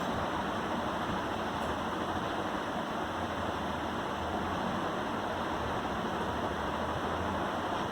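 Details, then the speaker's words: Desktop PC with i5 7th-gen processor, 16 GB RAM, Windows 7, freezing or hanging: steady loud whooshing rush from inside the case just after start-up, no ticking or rhythm; noisy internal, cause not yet found. "लेकिन मुझे live चला रहा हूँ तो इसके अंदर से एक आवाज़ आ रही है। काफ़ी ज़्यादा साउंड कर रहा है, नॉइज़ी है ये।"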